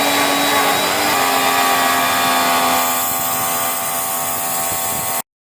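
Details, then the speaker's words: New cheap Chinese high pressure washer that failed a bearing after its motor was left running without water hose, after bearing repair: even motor whine at constant pitch, no grinding, rumble or rattle; earlier noise gone. "test muna natin yung tunog dito tingnan natin hindi natin navideohan n tumahimik na yung Maingay pa siya an par Paras dati kanina maingay to kanina"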